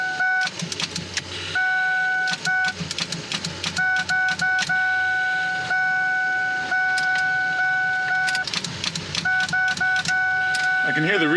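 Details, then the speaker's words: SVT Focus no-start: fast, uneven relay clicking and an intermittent chime with no cranking. Owner suspects a weak battery and possibly the relay. "clicking guess I need to get a new battery I don't know"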